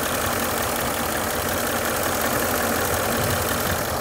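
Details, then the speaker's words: Range Rover L322 4.4 TDV8 diesel at about 200,000 miles, just after oil and filter service: smooth, steady V8 idle with constant level and no knocks or uneven beats; normal idle. "so i started up sounds pretty nice we can let it run for about five to ten minutes"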